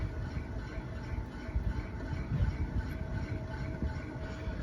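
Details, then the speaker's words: Evergreen Aroma fan motor on high, correctly wired, gives a low steady hum without spinning up, then stalls. Owner suspects a bad start capacitor, though it shows no bubbles. "yeah it most likely has a bad capacitor but the weird thing is I do not see any bubbles on it but that doesn't necessarily mean the capacitor is any good"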